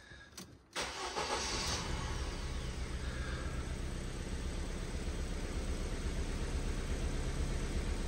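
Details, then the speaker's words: Ford Fiesta salvage car with suspected flood damage: cranks briefly, catches at once, settles into steady even idle with no stumble or miss; airbag light on only from front crash sensor. Normal start and idle. "yeah he actually running really really nice we've got the um the the airbag light on but that's because of that that crash sensor at the front"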